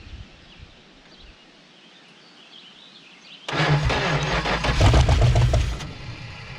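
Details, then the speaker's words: 1970 Dodge Super Bee big-block V8, abandoned, fresh battery swapped in: brief crank, then catches and settles into a deep even rumble, sounding like all eight cylinders — normal start. "yep you just heard this thing run i don't know how long it's been since this thing is run but it just fired up and sounded like it was all eight cylinders"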